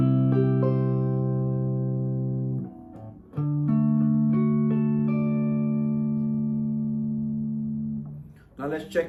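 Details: Brand-new Yamaha Revstar electric guitar after fret work and a setup with action lower than standard recommendations: strummed chords ring clean and even with no fret rattle or sizzle; no buzz.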